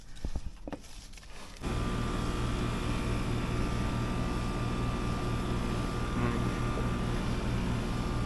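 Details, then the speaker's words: Air conditioning unit running after TXV, blower motor and board replacement and vacuum: brief start-up clatter then a steady even hum; pressures perfect, no refrigerant added, 22° temperature split, normal. "I didn't need to add any refrigerant. Pressures are looking perfect. Um everything's cooling good at a 22° temp split."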